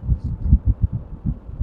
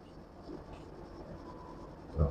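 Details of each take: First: AC outdoor unit fan after a noisy rattle was stopped by wedging paper or plastic against the loose part: only a soft low whoosh of air with a gentle throb; normal fan airflow. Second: AC outdoor unit, running: a low buzzing rattle rides over the unit's hum, disturbing at night. It comes from a loose casing panel vibrating, and the noise stops when the casing is pressed by hand.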